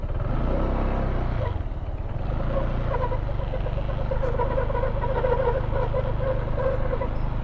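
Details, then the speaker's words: Honda PCX160 scooter idling: uneven rattle at about three per second with a mid-pitched drone, an annoying noise from the CVT (panggilid), to be fixed DIY. "Kasi kung naririnig nyo yung panggilid ko, meron siyang tunog, no?"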